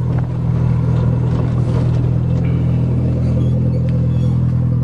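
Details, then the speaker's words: Toyota GTS after tune-up with used BMW spark plugs to cure misfiring, on test drive: deep steady rumble, even beat, no misses, a touch of roughness; running properly on all cylinders. "drive limiter screams like a gsxr hey buddy he'll never catch this this thing's fast"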